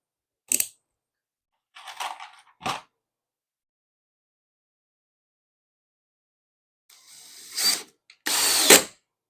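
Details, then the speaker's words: Drill driver driving a screw: short bursts of rapid ratcheting clatter as the clutch slips at its torque setting, stopping the screw from going deeper; normal clutch slipping at set torque. "You hear that clutch? That clutched out on me. This also has a clutch just the same. The clutch keeps the screw from going any deeper than what your setting is for."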